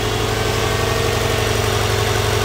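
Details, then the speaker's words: Rare Japanese twin-turbo flat-four 4x4, started after sitting locked in a barn for years: smooth, quiet, even idle with a steady low hum, no ticks, knocks or misses, and no dashboard warnings; it sounds healthy. "believe how quiet it sounds it's just absolutely perfect there's no nasty engine noises it's just burning away absolutely beautiful"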